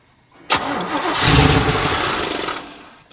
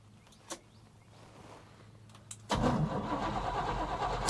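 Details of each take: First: 1986 Chevrolet K30 dually, first start attempt, fuel tank just hooked up, pump must push water out of lines that were laying back there: sharp starter engagement then labored cranking that never catches; cranking no-start from fuel starvation. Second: 1986 Chevrolet K30 dually, first start attempt, fuel not yet hooked up: starter cranks with steady even chug about three and a half pulses per second, strong even compression; normal cranking compression.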